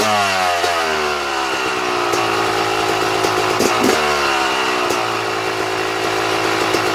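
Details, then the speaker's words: Two-stroke dirt bike with Mikuni/Keihin carburetor, pilot air screw being closed down too far: idle sags, then burbles unevenly with stumbles as if about to die off; rich pilot mixture. "now did you hear how the bike was trying to die off as i was closing the air screw down"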